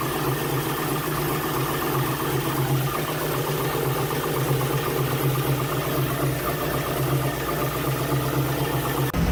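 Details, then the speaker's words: Jeep TJ with 350 small-block Chevy V8 after installing Edelbrock 1825 Thunder AVS carburetor and 2701 Performer intake, plus some distributor cap tuning; steady even idle, smooth low rumble, no misses, knocks or hunting; normal idle. "all right guys so a little bit of tuning distributor cap and now it's sounding pretty good"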